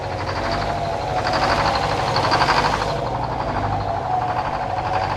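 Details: Detroit 4-71 two-stroke diesel powering a sawmill, warming up from a cold start: steady, even low throbbing beat with a bright edge and no knocks; normal cold idle.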